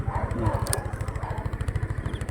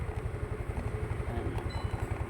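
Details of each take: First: Rusi Rapid scooter, unused for two years, with a rusted carburetor that had caused misfiring, no idle and hard starting: after the carb repair it idles calmly and steadily at about ten even pulses a second with no dips. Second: Rusi Rapid motorcycle unused for two years, fitted with a D-type carb: uneven low putter sags and stumbles after throttle release, idle dropping until it stalls; rusted carb, hard starting.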